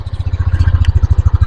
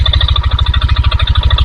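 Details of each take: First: 2022 Yamaha NMAX idling with the microphone close, after replacing the connecting rod and piston: even low thumping pulses with no metallic knock. The earlier knocking is gone, confirming the connecting rod as the cause. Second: 2022 Yamaha NMAX, under two years old, idling with CVT pulley and roller housing removed, mic held close: heavy regular knock about ten per second persists; cause is the connecting rod (stang seher).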